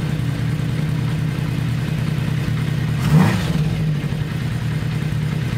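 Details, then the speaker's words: 1982 Kawasaki 750 LTD four-cylinder motorcycle idling on all four cylinders with a steady, even low rumble and one blip, after cylinder 1 ran cold and misfired from a faulty spark plug; all four plugs replaced, now normal. "so let's start her up see how she idles and see if you can hear the sound better four cylinders working instead of three so let's see what happens all right"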